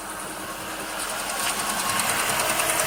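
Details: 2008 Jaguar XJ8L petrol V8 idling with a loud, sharp regular tick, about three clicks a second, which briefly disappears to reveal a second, quieter ticking sound that is present throughout.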